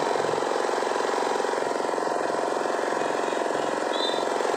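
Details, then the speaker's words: 2500 generator (genset) after repair of an oil leak, with the magneto/flywheel side opened to reach the suspected oil seal: steady even run with a light regular pulse near four beats a second, no knocks or stumbles; engine now runs smoothly. "mesin sudah bagus warnanya sudah halus tidak ada masalah tadi masalahnya cuma ada isi aja"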